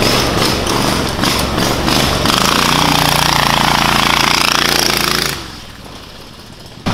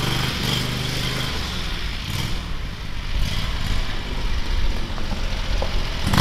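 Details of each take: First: Predator 670cc engine in a Yerfdog Spiderbox go-kart, fitted with a governor spring of more than double the tension: loud steady roar held near 3600 rpm like a normal Predator, then a sharp drop-off. Before the spring it reached barely 2000 rpm. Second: Predator 670cc V-twin in a Yerfdog Spiderbox go-kart: deep rumble that never climbs in pitch, only around 2000 rpm, too low to properly engage the torque converter; governor limiting engine speed.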